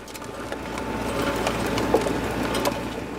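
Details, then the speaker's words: Woodman tractor snow blower clearing driveway near Buffalo, ground not frozen: steady engine drone with sharp irregular knocks as the auger hits ice chunks or gravel, likely ice since no dirt showed. "you can hear I either got into a little gravel there or some ice chunks. Looks like it might have been ice because I don't see any dirt showing up underneath there."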